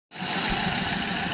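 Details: Kia Picanto small petrol engine idling with a rough, uneven beat, a misfire, with low power and jerking.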